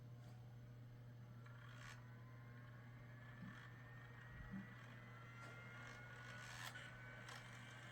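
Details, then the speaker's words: Vintage PC: faint spinning hum with scattered clicks and repeated rising spin-up whirs. The failing CD-ROM drive keeps trying to read and freezes the computer. "this is not a good CD drive this CD drive can be deadly to this computer see it it froze again it keeps trying to read it"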